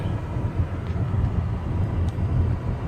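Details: 2010 Nissan Maxima making an unidentified noise that started a week earlier: a steady low rumble with an uneven throb underneath and no clear knock or whine; the cause is unknown.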